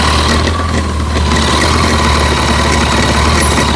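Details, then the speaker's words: Kawasaki ZZR1400 at about 28,900 km, idling: a constant metallic clatter from the clutch side that gets very loud when the clutch lever is pulled, caused by a loose clutch release bearing stopper. "see that it's quite visible the Ratt sound inside the engine when you pull the clutch it's really huge"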